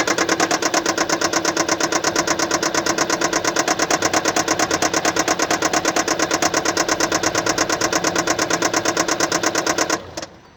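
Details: 2015 Kia Sportage SL, 2.0 petrol G4KD (1998 cm³, 122 kW/166 PS), 118,709 km, at idle with a loud, sharp tick at a steady three per second until shutoff; diagnosed as a defective injector.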